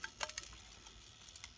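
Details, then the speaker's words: Dualit 3-slice toaster model 3SLUK, guards removed, set to three slices and 1.5 minutes: faint irregular crackles and ticks as elements warm, old moldy toast crumbs burning off the heating elements. "if i turn it on to a minute and a half there the red light comes on you can hear crackling coming from it a bit of moldy toast there"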